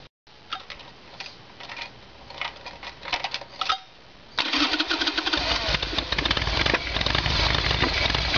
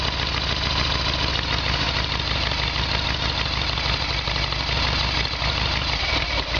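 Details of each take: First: Evolution Sportster V-twin clicks, then fires and runs rough, stuttering and backfiring from fuel starvation. The fuel line from the petcock is empty and hardly any fuel gets through; it is a carburetor problem. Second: Harley-Davidson Evolution Sportster with carburetor, running on reserve fuel tap: steady lumpy V-twin idle without stumbling; normal idle, earlier backfiring caused by faulty petcock blocking fuel.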